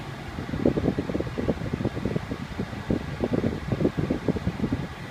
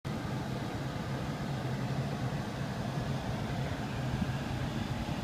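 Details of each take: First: 2001 Lexus RX 300 whose AC had made loud grinding, clicking and rattling sounds: soft steady blower whoosh with light airflow flutter and no grinding, rattling or clicking; the cabin blower is running normally. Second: 2001 Lexus RX 300 AC: rough gritty rush from the ventilation, then sharp irregular clicks; grinding, rattling, clicking from the HVAC blower, with front vents not blowing in auto mode unless the air is toggled off and on.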